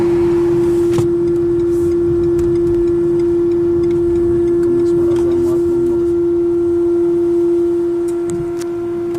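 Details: Renault Kadjar Icon 1.5 EDC with R-Link 2.0, while driving and continuing with engine stopped: loud steady low buzz from rear speakers; stopped after long-press restart of multimedia unit, rear camera then fixed by locking and fully shutting car.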